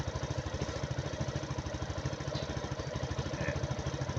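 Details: Suzuki Gelato scooter, just fixed after a no-start, with a new charged battery: steady, even putter at about three beats a second, no misses or knocks, a clean idle.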